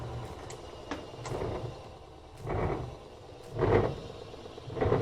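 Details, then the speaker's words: Frigidaire laundry center washer, model FGX831FS5, after spin with motor off: tub coasts on transmission inertia with soft rhythmic swish just under once a second, no grinding; no brake on this model, normal free coast-down. "can see the motor is stopped but the transmission has inertia so it's still going to spin and this kind of model it doesn't really have a brake like on some washers"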